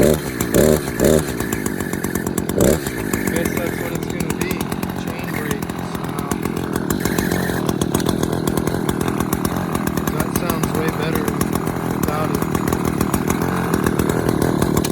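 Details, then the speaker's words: Echo CS-590 chainsaw at idle: steady fast putter with a short high chirping squeak riding over it. Owner suspects the chain brake, earlier wondered about the sprocket; saw still works, cause unconfirmed. "But yeah, guys, I don't really know what that is. I'm guessing it has something to do with the chain brake, but I guess I'm gonna have to do some research and see what it is, what there is to fix that, because I mean, it's not really affecting anything, but it is kind of annoying."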